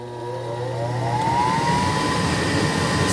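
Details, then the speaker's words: Furnace won't start: inducer motor spins up with a rising whine and keeps running but the burner never lights; the gas valve was found installed upside down and not opening. "y'all, what we have here is a furnace. It's not cutting on."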